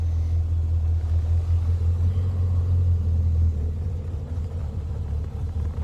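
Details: Le Mans green Mk1 Ford Escort idling after fitting a standard crossmember and mounts in place of the World Cup competition crossmember, plus an electric fan kit. Low, steady rumble with no shudder or knock. The body no longer shakes. Normal idle.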